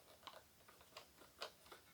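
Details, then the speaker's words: 1996 Ford F-150 (rolled over, not run in a year) fuel pump bench-tested with power applied: scattered sharp clicks, no motor whir, pump tries to turn but won't; pump seized and dead, not a wiring fault. "negative I can feel it trying to turn and it won't oh see it catch on fire or start smoking I don't know if you saw that or not oh I can smell it pump is definitely toast"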